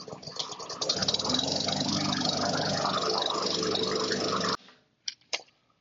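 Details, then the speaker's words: Murray 21-inch mower, Briggs & Stratton 450 series, plastic carburetor: after priming, engine runs rough, hunting and sputtering, then shuts off abruptly; carb to be cleaned. "So, as you can probably hear, it's hunting. It's just sputtering a little bit. Just doesn't sound right."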